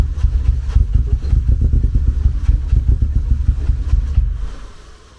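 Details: First start in nearly two years after work awaiting a machined manifold, microphone at the exhaust: steady rapid cranking about four a second with weak firing that never catches cleanly before fading; hard start.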